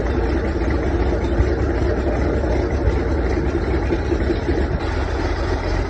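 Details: 1979 Beechcraft Baron B55 piston engine running on its own power for the first time in 14 years; low, steady drone with an even firing rhythm, no misses or knocks.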